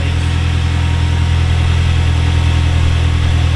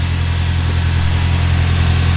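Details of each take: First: Toyota 3RZ petrol engine first start after new cylinder head, cold morning start: steady fast idle with deep even hum that never settles, no ticking or knocking. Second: Toyota 3RZ first cold morning start after a new cylinder head: steady, even idle with low hum, no ticking or knocking; idle sits high while cold.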